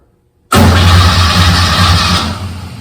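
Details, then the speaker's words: Old VW-based drag car, in neutral with brake on, fuel pump on: starter spins engine fast and evenly over two seconds, no grinding or dragging; healthy starter. "Sounds like a good starter."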